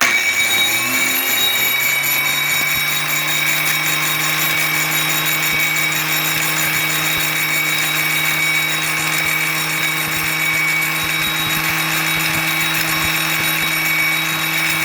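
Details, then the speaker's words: Hand grinder rigged as a lathe, clamped on a pivot, grinding a sprocket spinning on its axle in a vise to even its thickness and cure imbalance: loud steady high whine with faint cyclic scraping where the wheel catches one side. "hose clamps here are allowing me to make adjustments up and down with this fitting, so you can hear on the thin side it touches, on the thick side it doesn't."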